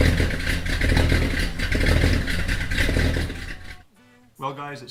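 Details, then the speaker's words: Mopar V8 at idle after fitting high-flow J heads and refitting exhaust manifolds, before timing and carb retuning; deep choppy big-cam lope about four thumps a second with no knocks, slight exhaust leak noted, otherwise healthy. "as though she's doing a little more thumping now with these though high flow heads"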